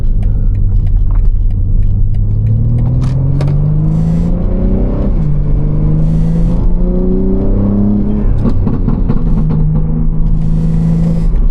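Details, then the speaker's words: BMW M3 while driving: deep droning rumble builds as revs climb through the gears and eases off throttle; it happens only under throttle, between about 3,000 and 3,200 rpm; source unexplained. "It only happens when I step on it. Wait, 3, 2. It's only for like, it's straight up between like 3,000 and 3,200 RPM."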